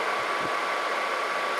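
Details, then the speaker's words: Atwood 7912-II 12,000 BTU 12 V DC RV propane forced-air heater on workbench, after repair: fan on, ignition clicks, lights; steady blower rush and hum, heat from rear, running normally. "either that or i'm going to look stupid here it goes and you can hear it running and you can feel the heat coming out the back"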